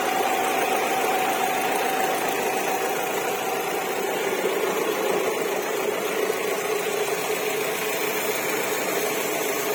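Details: 2007 Alfa Romeo 147 1.6 Twin Spark 105 hp petrol at idle; thin high cicada-like chirp over the engine, dropping in pitch partway through; source unidentified; chirping noise at idle.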